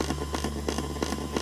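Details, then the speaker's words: Earphones in a PC front-panel jack while a phone at about 100% stays connected by USB: a constant hum with sharp ticking buzzes about three per second, the pattern changing with the screen on or off. Trickle-charging current causes the interference. "간헐적으로 전류를 받아들이고 있을 겁니다 아 이쪽 방면에 용어로서 는 아마도 세류 충전 이라고 하는 것 같은데 미세한 전류로 배터리를 계속 충전을 하고 있다는 소리입니다"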